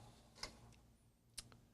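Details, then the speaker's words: Tandon TM100-2A floppy drive, no disk, clean command: two sharp ticks about a second apart as head hits its end stop without finding track 0; owner suspects the track 0 switch or calibration, though it does reach the switch. "Wait a minute. Is it hitting the stop before it activates the switch? Wait a minute. I may know what the problem is. It might be out of calibration."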